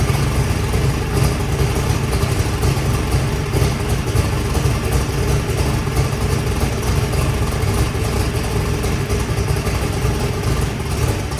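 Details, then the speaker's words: Turbo Saturn drag car on its first fire-up after rewiring: loud, steady low rumble at an even pace with no knocks or misses; runs smoothly, though a possible crack or loose fitting is leaking and the mixture seems a little rich. "all right everything sounds good"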